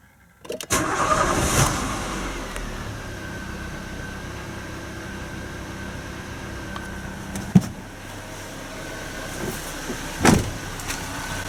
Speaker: Толкатели поменены, в данном случае 4 штуки. И вот можно теперь послушать, как будет работать двигатель.